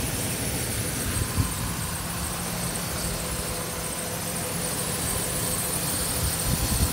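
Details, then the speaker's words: Idle of a 2008 Ford Ranger XLT 3.0L V6, 2WD, 5-speed manual, 147K miles, no check engine light; steady, even low smooth hum, very quiet, no ticking or knocking, healthy engine. "see the motor here and let the truck [Music] dear how quiet it is no knocking whatsoever is this 3.0 liter v6 engine"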